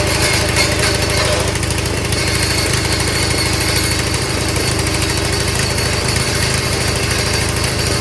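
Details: Old Craftsman machine, small single-cylinder engine, started after a little priming; steady even quick beat, no misfires or stumbles, healthy running.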